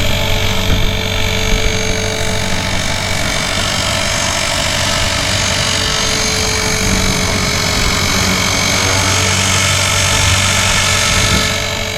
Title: Blade 360 Fusion flight nº 28 (Sand in the spur...grrr...loud noise!!)